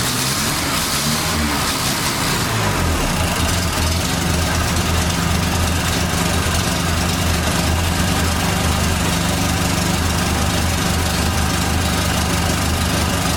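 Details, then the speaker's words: 1989 Dodge Daytona ES fired up: steady idle, even low rumble with a faint thin whine riding over it, attributed to the power steering. "okay so i'm gonna fire this thing up hopefully it runs right no issues here we go whining noises the power steering car"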